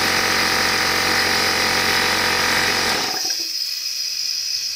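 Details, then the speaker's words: Old Craftsman (Porter Cable) air compressor after air-leak repair, tested before final assembly: fast, even hiss and rattle, then stops at pressure leaving light hiss; around 100 PSI, runs normally. "so we're somewhere around 100 PSI still looks good looks good"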